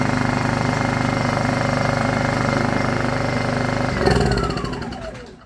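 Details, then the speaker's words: Honda EU2000is inverter generator, bought non-running, started, air box off: even, steady chugging for four seconds, then switched off and winds down smoothly, no knocks; normal running. "wow I was not expecting it to run e throttle this makes me so happy"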